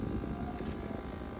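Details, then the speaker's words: Refrigerator with rear compressor-area cover removed, running before cleaning: steady low hum with a faint rough flutter from the condenser fan caked in dust, lint and grease; humming from buildup, fix is cleaning the fan area. "see that that's where the sound coming from so we'll see after we clean it up"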